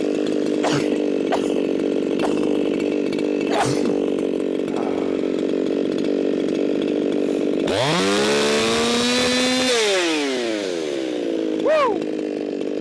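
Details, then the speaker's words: Ported Echo 4910 chainsaw with muffler mod, tuned toward 13,500 rpm: burbling idle, then a thin screaming wide-open-throttle note hitting 15,000 rpm with no blubber; far too lean, over-revving. "Way too lean. That jumped up to 15,000 RPMs. Way too lean for this here saw."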